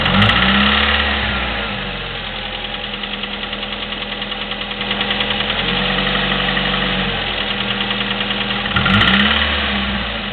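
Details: Chevy S-10 2.2L, 154K miles, Flowmaster 40 exhaust: light regular ticking about four per second over steady idle; top-end valve clicking present for 45K miles.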